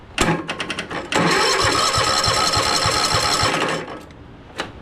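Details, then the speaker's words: Cheap zero-turn mower after new fuel filter, water pump, air filter and fresh fuel, choke on: several quick rhythmic cranking pulses then harsher cranking that never catches and fades out; cranks but won't start. "and it didn't start"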